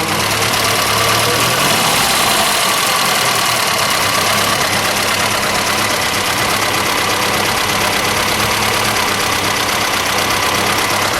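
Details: 1973 Chevrolet Vega notchback, 5,401 original miles, factory 140 CI four-cylinder, oil changed: even idle with light busy valvetrain tick over steady hiss; nothing out of place, healthy original engine.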